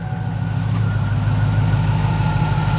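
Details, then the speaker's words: 2007 Chevy Tahoe/Yukon with a new PCM, after a crank/no-start repair, at idle: a heavy, uneven lumpy beat with the whole engine shaking and a lifter tap at start-up; rough idle misfire, worst on cylinder 4, slight on cylinder 3, lifter suspected. "All right, let's go ahead and get this thing started up so you can hear this misfire. When you first start it up, you can hear a lifter tap"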